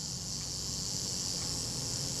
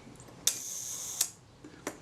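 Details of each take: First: Kodak Retina Reflex III shutter after service, set at about 1/8 second: self-timer gives a steady fine buzzing whir for about four seconds, ending in two crisp clicks; self-timer and shutter working normally. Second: Kodak Retina Reflex III shutter at the one-second setting during service, after adjusting speed train cam engagement: open click, brief buzzing escapement, closing click about three quarters of a second later; slow speed running too fast.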